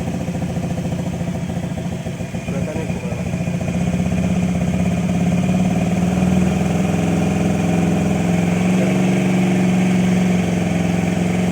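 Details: Motorcycle converted from petrol to LPG without changing the carburetor, regulator set to 3 PSI: cranks, catches about two seconds in, then settles to a steady, even idle, running cleanly on gas.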